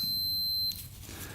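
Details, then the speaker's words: 1980 Yamaha MX175 dirt bike, kill switch tested with continuity tester: clean high electronic beep for about three-quarters of a second when the button is pushed, then quiet; switch closes its circuit properly, not the problem; switch good. "when i push this button you should hear beep that means the button's working so the button's working you can hear the beep so the button is not the problem that's working great"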